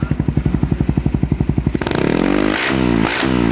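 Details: Even, regular idle thumps around four a second, then revs up cleanly and drops back without knocks or rattles; overhauled engine with upgraded block, sound check sounds healthy.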